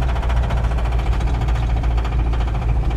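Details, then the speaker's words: Isuzu Trooper broken down at a rental car lot with a spun rod bearing and the oil light flickering. Deep heavy knocking repeats rapidly with each revolution over a low rumble. Rod knock, not yet severe. "oh yeah it's a rod knock it's actually not really bad it's not good"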